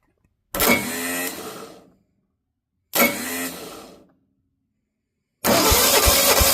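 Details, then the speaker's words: Engine with a carburetor and a fuel system that is not yet set up properly (owner redoing it to the fuel pump): two long bursts of starter cranking, about 1.5 seconds each, and it never catches; cranks but won't start, and fuel is suspected not to be reaching it. "I'm gonna be on this side so I can try and crank it and see if I can get it to start. You know, I don't have the fuel system set up fully properly, but don't care."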